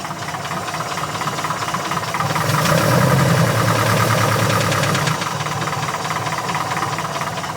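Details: Porsche 914 air-cooled flat-four idling after a valve adjustment, with a steady deep knock at about three to four beats a second; suspected rod knock, unconfirmed.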